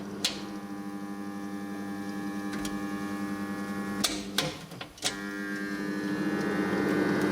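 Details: Previously seized shaded pole fan motor in a heater after cleaning and lubrication: steady electric hum holds as it spins up, only a few handling clicks; now runs freely.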